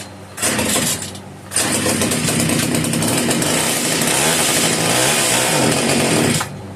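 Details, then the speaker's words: Italian-made Castor 330 Antivib (rebranded Alpina) chainsaw, choke off, first start before fuel is put in the tank: ragged two-stroke bursts catch, die briefly, then run rough and buzzy for several seconds; spark and compression present, needs fuel. "Hey guys, she fired up. So now we're gonna go ahead and put some fuel in the carburetor."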